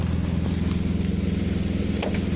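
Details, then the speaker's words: BMW E36 at idle and revs, rear muffler leaking: deep, steady exhaust pulsing with a raw, blatty edge from the back end; exhaust leak at the rear muffler, which is to be removed rather than replaced. "the muffler decided that it wanted to have a leak if you can hear me over the exhaust so instead of getting it replaced I'm just gonna get it removed"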